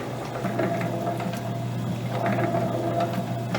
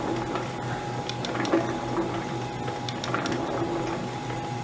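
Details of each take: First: Vintage Lewis metal shaper under power. Steady motor hum with a light, regular ticking from the stroke. There is no clunking, banging or crunching, so the gearing sounds sound, though the drive occasionally misses or fails to catch. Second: Vintage Lewis metal shaper running, feed about 4–6 thousandths per cycle, seemingly feeding further on the back stroke: steady hum with light clicking that comes unevenly and sometimes drops out; the feed ratchet pawl intermittently misses and doesn't catch.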